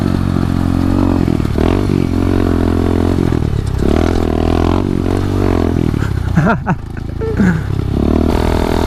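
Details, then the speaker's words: New 2018 SSR 125cc pit bike, freshly assembled, ridden under steady load. Small single sounds rough and strained throughout, with a brief dip near the end. The rider says it sounds like it's hurting and something is off; cause unknown. "sounds like something's off I don't know what it is"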